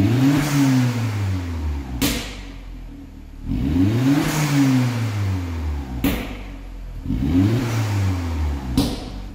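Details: Turbo engine after worn turbo replaced with new one, warmed up after long run burning off oil smoke: three clean free revs rising and falling over about three seconds, no whistle, rattle or scrape; sounds healthy, completely sorted.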